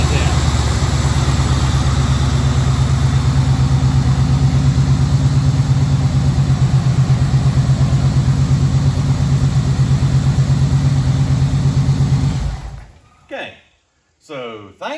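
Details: 1953 Ford pickup engine idling after the power steering fix (lines reconnected with a new fitting, system refilled with fluid): low, even idle for about twelve seconds with no growl or whine from the pump, which now sounds healthy.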